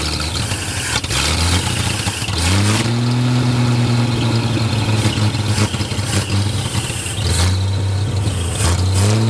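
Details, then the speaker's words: 1937 Chevy with a 250 six-cylinder that sat unrun for unknown years, timing adjusted at the distributor: loud idle rising smoothly into repeated revs and back without stumble; runs better after timing set, oil pressure low from a leak. "sounds a lot better with a little bit of timing so that's all the farther I can turn it that direction because it's up against the block"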